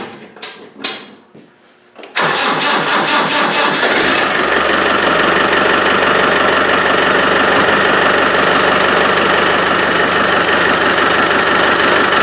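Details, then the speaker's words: Land Rover 110 with a 300Tdi diesel; engine, gearbox and transfer case were rebuilt last year. At idle right after starting, a sharp high chirp repeats about four times a second; the source is not yet identified. "and uh it's developed to squeak and I don't know what it is and Jeff doesn't know what it is so we brought it down and uh let's listen to it"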